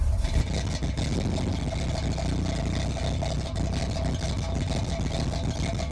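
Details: 1981 Chevy Corvette, brand-new V8 just restarted after electric fan, fuel line and filter, and spacer for overheating. A short start-up blip, then a deep, even rumble with no knock or miss. Normal idle.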